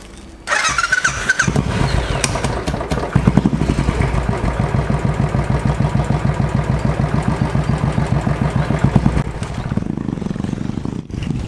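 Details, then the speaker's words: Royal Enfield Classic 500 fuel-injected single, which stalled several times on the road and backfires on deceleration with MIL lit: starts and idles slow and lumpy, uneven pulses as if about to stall; idle speed set too low, to be adjusted via diagnostic tool. "Kemarin pas dicoba itu beberapa kali mati di jalan. Jadi langsamnya kayak kekecilan."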